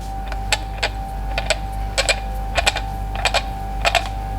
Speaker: Соответственно, в положении зацепа он зацепляется, а в положении подъёма он издаёт вот этот звук.